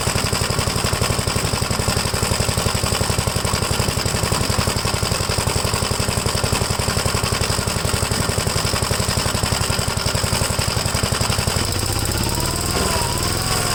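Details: 1957 Gravely L tractor single-cylinder engine after replacing a badly clogged fuel filter, choke off, carburetor leaned slightly after it was too rich on throttle: steady even putter with no misfires or surging. Running properly.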